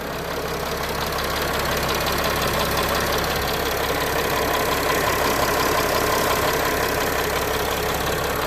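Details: 2013 Mercedes Sprinter 3 L six-cylinder turbo diesel after AMSOIL engine flush and 5W-40 synthetic oil change: steady even diesel clatter at idle, no uneven beat or knock; engine sounds healthy.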